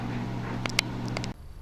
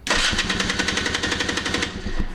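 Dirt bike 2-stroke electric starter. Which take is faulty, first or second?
first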